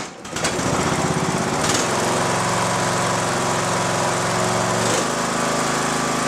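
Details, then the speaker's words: Mower cranking on the same restored lead-acid battery, charged as far as it will take, still with one bad cell; it previously would not crank at all. Now a steady, strong starter crank with an even churning beat that holds speed. Normal cranking. "A battery that would not crank this mower under any circumstances. You could charge it all day long and it would not crank the mower over at all. Now it cranks it, even with the one bad cell."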